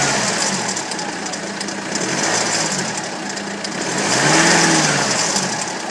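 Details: BMW N47 177 bhp diesel at 127,000 km, at idle: light, busy metallic chatter over the diesel clatter, from a worn timing chain at the back of the engine, which has not been repaired yet.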